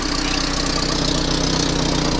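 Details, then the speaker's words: 1997 Volvo 480 at idle, heard from underneath after fuel filter and pipework replacement: rapid puffing blow in time with firing pulses, with rattle, as exhaust gas escapes from a leaking exhaust pipe junction; exhaust leak. "That is quite a blow from that junction there. That's a shame. I'm getting quite a lot of exhaust gas coming out through that, which is a real pain."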